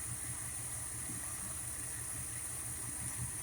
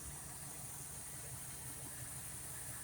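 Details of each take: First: Old carbureted engine with a Tomco carb, idling near 660 rpm while the mixture screws are turned a quarter turn at a time: uneven, lumpy idle with slight stumbles. Rough mixture setting; backing out a quarter turn then smoothed it and raised rpm about 100. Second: Old carbureted engine ("Betty") at idle after setting base timing, backing mixture screws out a quarter turn and lowering the idle screw; even, steady low rumble with no misses or hunting, sounding much better; normal idle.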